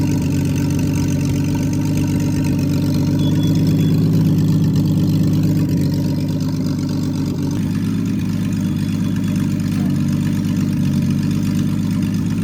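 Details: Freshly rebuilt Triumph TR6 six, head shaved 60 thou (about 8.4–8.5:1 compression), after first start, warmed up, chokes off, distributor slightly adjusted: even, steady low idle with smooth regular beat, no knocks or misses; normal warm idle.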